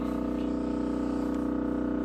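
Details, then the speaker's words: LG refrigerator, noise heard for hours, stops when the door is opened: loud constant droning hum with a slight steady pulse, sounding like a motor gone bad; abnormal refrigerator humming, cause suspected, not confirmed. "if you open the door and stop sounds like a motor or something like that is went out or something such as that LG refrigerator"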